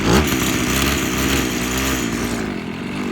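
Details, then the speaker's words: Abandoned weed eater, idling with choke off: two-stroke stumbles and bogs instead of climbing when throttle opens; owner suspects fuel flow conflict in the carburetor, carb kit considered. "it's having a conflict with the way that the fuels going through the carburetor I mean it has to be"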